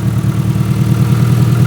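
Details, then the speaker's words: Proton Saga Iswara 1.5, about 151,000 miles, recovered from a barn and started after long storage with no exhaust fitted: loud, open, deep pulsing but an even beat with no surging or misfire; ticking over nicely. "that engine is ticking over nicely"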